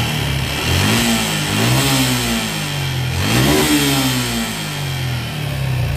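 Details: Suzuki Gixxer motorcycle engine revved twice; harsh rattly edge over the exhaust note, piston rings suspected as the cause; abnormal engine noise when revving, not confirmed.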